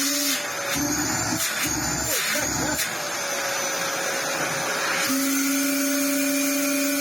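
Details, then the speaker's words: Dyson DC07 Clic vacuum after restoration, filter reseated with a broken seal: steady motor roar with thin high whistle; vacuum air leak at the filter seal, significantly better but not sitting fully correct. "well that's significantly better I probably imagine that that being broken means it's not sitting 1,000% correctly which is causing it to have a little bit of an ay who knows in time it might get better"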